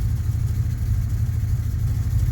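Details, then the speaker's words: 1991 Chevy Silverado V8 that struggles to start cold and gets no fuel until the accelerator is pressed; started with a little gas, it idles very rough with uneven lumpy pulses, then throws a code once it smooths out. Cause unknown. "Yeah, there's still something horribly wrong. I'm starting it by giving it a little gas."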